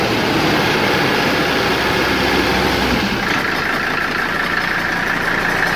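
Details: Mercedes W123 idling with a steady, rough rattling whoosh and faint high tone; attributed to a bad fan clutch, not engine knock.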